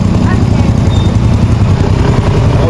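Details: Honda Bravo small motorcycle engine (like Wave 100/XRM 110), reassembled after fixing its noisy engine: a steady, even low idle thrum with a light loose rattle on top from the rear top box, not the engine.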